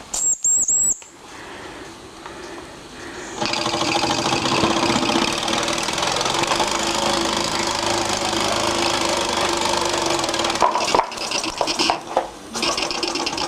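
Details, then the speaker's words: Vintage 1974 Mamod TE1A live-steam miniature tractor on its first steaming test: steady hiss of escaping steam with a fast, light, uneven chuff; running normally. "This is obviously something to do outside, folks, on Grandpa's lawn. Listen. You can hear it steaming."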